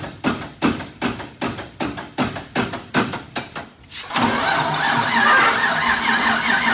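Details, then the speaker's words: Wrecked sand rail being rebuilt, on jack stands after fixes: about ten slow even cranking strokes, then it fires and settles into a loud steady busy run; healthy start and idle, a small fuel leak noted. "sounds sick. >> We got ourselves a working machine, man."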